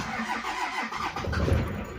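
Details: 1995 Dodge Ram diesel with a failed fuel solenoid valve, so it cranks but won't start: with the solenoid lever by the injection pump clicked up by hand, it cranks briefly, then catches and rumbles to a steady idle.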